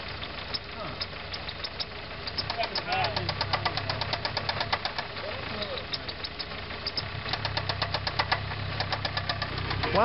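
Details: Talon idling petrol engine: sharp, regular knocking about five or six a second; engine knock under combustion load, not valve train noise as students guessed.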